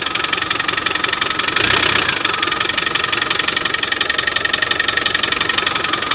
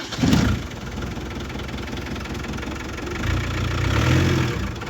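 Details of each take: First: Land Rover Defender at idle, just fired up after fitting a replacement alternator with a rewired field wire (the previous one's rear bearing failed); battery charged about an hour. Alternator light is off and it runs true, but a faint high whine rides over the engine clatter from the belt-driven accessories; cause not yet pinned down. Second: Land Rover Defender after an alternator replacement with a rewired field wire, battery only partly charged; engine catches and settles into a steady, even low idle with no misses or knocks, slight whine noted: normal idle.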